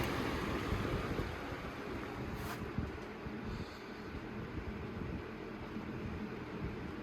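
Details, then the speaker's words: Holmes HABF-20 box fan (2000s) on low/medium setting: soft, even rush of air with no hum, buzz or rattle; the humming fault occurs mainly on high, sometimes medium. Normal quiet running. "it's quiet on low medium"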